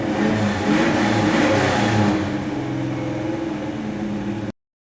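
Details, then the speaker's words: 1973 Plymouth Duster, 360 cid Mopar V8, 833 four-speed manual, 3.55 gears, started after underbody inspection: deep throaty V8 rumble rising on a throttle blip then settling to a steady lumpy idle; normal engine revving, sounds healthy. "what we're going to do is we're going to drop this down fire it up to hear the engine run"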